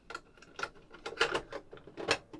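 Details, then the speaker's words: Sharp GF-6060 boombox cassette mechanism, previously seized, running after new belts, capstan rubber, pinch roller and idler tyre; light uneven clicks and soft whirring, nothing binding or grinding. "so let's give the taper quick world as well now the mech was seized up before but it should be running nicely"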